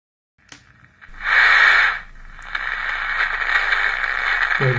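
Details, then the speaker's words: Emperor AIE-641 radio after repair of very quiet audio: clear hiss and sound now come from the speaker at a normal, steady level; radio audio output working normally again. "gibi ses geliyor artık radyodan."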